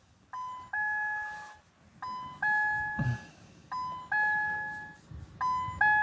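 A two-tone chime repeats about every 1.7 seconds with the ignition on and no cranking: the immobilizer is active, cause unknown.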